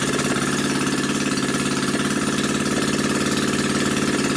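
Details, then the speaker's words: New Predator 79cc single-cylinder engine, muffler removed and drag pipe fitted for an RCF micro minibike; steady, even, raspy pulsing from the open pipe with no knocks or misses, idling smoothly and healthy. "All right, let's see what this sounds like with the drag pipe on it."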